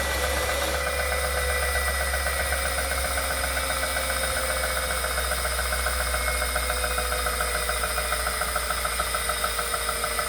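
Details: Wahoo Kickr Core bike trainer while pedalling: steady high whine plus a regular knock about three times a second that tracks the pedalling. Something rough in the trainer drive.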